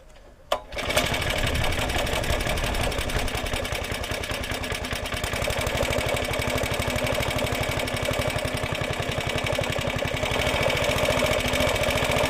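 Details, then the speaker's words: Roughly 70-year-old Suffolk Super Punch 17-inch cylinder mower, SIF 75cc cast-iron engine, running on oil-petrol mix after carb and points clean, microphone fitted; fast even putter about four beats a second after start, no misses; healthy normal running. "what a lovely little sound like a cracked little engine"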